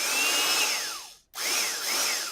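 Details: 1960s General Electric TH-30 drill, 3 A, 1/3 hp, first run after teardown and reassembly, free-running: spins up to smooth high whine, coasts down, runs again evenly with no grinding or rattle; healthy motor and gears.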